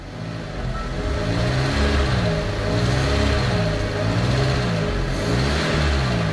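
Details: Fiat 500 small petrol engine after head gasket and repaired cylinder head refit, combustion-gas test chemical not changing colour; blipped up and down repeatedly, rising and falling cleanly with no misfire, knocking or stumbling; normal revving.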